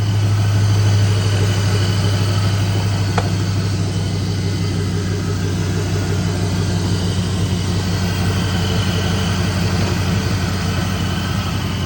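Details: Chevy Silverado truck after a V6-to-V8 swap with a crank-no-start issue; computer tuned to delete VATS and battery disconnected. The engine now starts and settles into a smooth, deep V8 burble at an even idle, no misses or knocks; normal idle.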